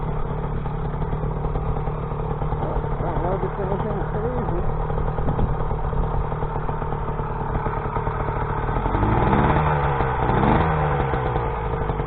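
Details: Rebuilt YD100 two-stroke, re-bored to 51mm with larger piston, running on E85/C85, first run after rebuild from piston blown at ~13k rpm; steady buzz under heavy wind rush, revs climb cleanly without stumbling; normal running.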